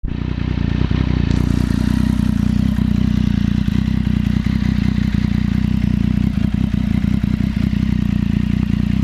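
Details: ST3 at idle: fast light clatter keeping pace with the engine, a top-end rattle; owner suspects cam chain tensioner (CCT), unconfirmed.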